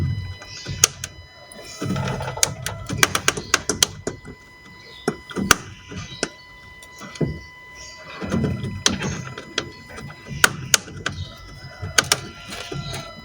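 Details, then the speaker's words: Fiat Doblò 263, front McPherson suspension: irregular dull clunks when turning the steering wheel with the car practically stopped, pointing to a worn front strut top mount bearing. "So the customer states as he is turning the steering wheel with the car practically stopped, you can hear a clunky noise."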